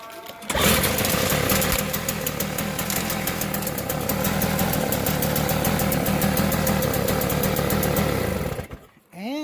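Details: Small engine bought at auction, started on choke; catches quickly and settles into a steady, slightly uneven buzzing run for several seconds before cutting off, runs fine.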